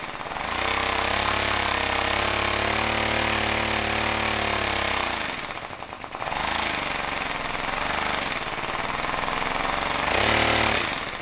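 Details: Homemade compressed-air engine at 50 psi with a small lever-operated diaphragm-valve throttle: rapid, even chuffing that slows when the throttle is eased around six and ten seconds, then picks back up; normal running under throttle control.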